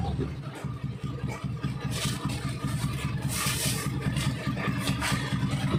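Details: Honda Beat carburetor scooter after fixing rattling CVT noise by refitting CVT cover support boss: revs smoothly with a steady low drone, no rattle or clatter from belt drive; transmission now quiet.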